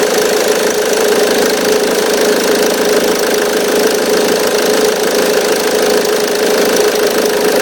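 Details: 2005 Ford Mondeo Mk3 2.0 TDCi 130 hp (96 kW) diesel idling: a steady metallic rattle and faint whine with vibration from the auxiliary belt tensioner. Belt tensioner rattle.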